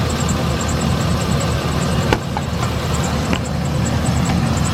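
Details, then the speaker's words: 2007 Chevy Express 3500 van V8 at idle after the Motor Medic flush and oil change: a steady, smooth low rumble with no top-end tapping. The sticky lifter tick is gone; normal idle. "From that clickety-clack, tickety-tack, sticky lifter to this now. Perfect."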